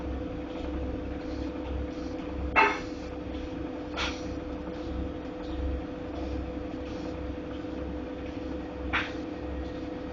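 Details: Godrej fully automatic washing machine making noise while running. A low motor hum under a slow, pulsing drum rhythm, with sharp clunks every few seconds; abnormal knocking running noise.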